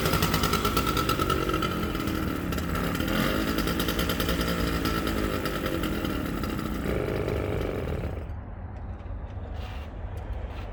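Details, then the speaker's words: Aermacchi Z90 single with a head gasket leak and about 40 psi compression: ragged, thin, uneven putter at about three beats a second, then fading; weak running from low compression. "it's right around 40 psi somewhere in there um so i decided to try and start it up anyways and see what happened this is what happened"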